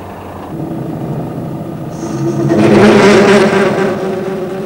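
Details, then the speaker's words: Lathe turning a long bar held only in the chuck, cut at the free end: a rough buzzing chatter swells as the tool feeds in and the work deflects and vibrates, giving a poor finish. A tailstock dead centre cures it. "the noise you can hear is called chatter as the tool is fed in cutting forces cause the work to deflect and vibrate the result is a poor surface finish to the work"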